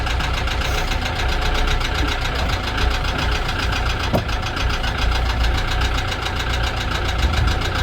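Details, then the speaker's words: Ford Transit Mk7 diesel van at idle after topping up oil, blowing some black smoke; sharp regular ticking knock over rough idle, much less than before oil added, definitely from the top end valvetrain. "Listen to that now. She's knocking off as not half as bad as what she was. Surprised what a bit of oil does."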